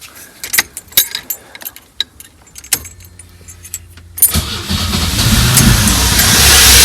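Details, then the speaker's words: 1984 Pontiac Fiero barn-stored over 30 years, first start after the rusted fuel tank and fuel pump were replaced: a few clicks, then the engine catches and runs roughly with a lumpy rhythm and something backfiring; owner finds a vacuum cap off. "working guys a little rough but it's working woo well it's not running great but it's running"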